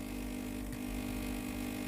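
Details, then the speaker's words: Philips GC9622/20 steam iron with no steam: steady low electric buzz as the pump runs but draws no water from the tank into the boiler, pump failed; fixed by replacing the water pump and hose clamp. "แต่ตัวนี้นะครับผมปั๊มน้ำสูบน้ำแต่น้ำไม่เข้าในส่วนของตัวหม้อต้มนะครับไม่มีน้ำออกมาเลยครับ"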